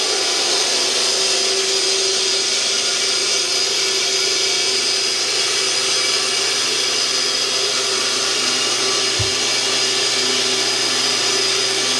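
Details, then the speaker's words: 1948 Delta/Rockwell Milwaukee 14-inch band saw after new urethane tires, tension spring and shims/washers to stop cover rubbing: steady high even whistle with no rubbing or thumping, running much smoother than before; normal running. "It has definitely a different sound with these new urethane tires. It has more of a high-pitched whistle sound, and it sounds like it's running a lot more smoothly than before."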